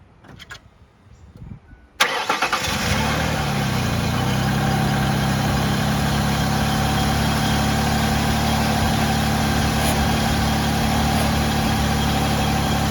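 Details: Ford Freestar after power steering pump replacement: engine cranks, catches after about two seconds, then steady even idle with no belt squeal or pump whine; sounds healthy.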